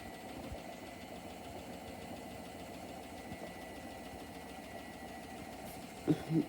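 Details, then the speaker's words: Hotpoint WMFUG942 brushless washing machine, owner says dying: low uneven spin drone, then heavy thuds as drum comes to a stop and wobbles; drum and spider very off balance, not too bad when ramped up; suspected cause unconfirmed. "Watch as the drum comes to a stop. Guys, the drum is very off balance."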